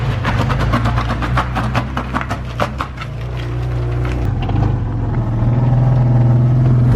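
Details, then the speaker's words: BMW E36, engine running with a rough, regular ticking about three per second over the rumble that eases as revs rise; the owner points it out as the noise he mentioned, source unidentified. "Ça va? Hein? C'est normal? C'est ce bruit là dont je te parlais."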